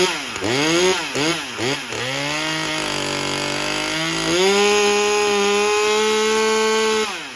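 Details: Husqvarna T540 XP Mark III chainsaw, 136 hours and 1500 starts, choke on, test after a pump diaphragm replacement: blips unevenly, holds a high buzz, then sags and cuts out near seven seconds; still sounds starved for fuel.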